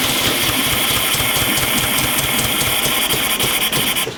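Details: 1965 VW Beetle, first start in years, carburetor uncleaned, timing not yet set: starter chugs at a steady, fairly quick beat under a high whine and cuts out without catching after it briefly ran on empty; battery may be low.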